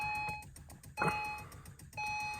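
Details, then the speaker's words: 2011 Acura TL with replacement engine fitted by another shop, won't start, key light blinking, cranks only at random: sharp two-tone beeps in erratic bursts about a second apart; loose engine ground strap causing lost PCM communication and no-start. "it's doing weird stuff it was i just had it turning over now sometime it'll crank up at random"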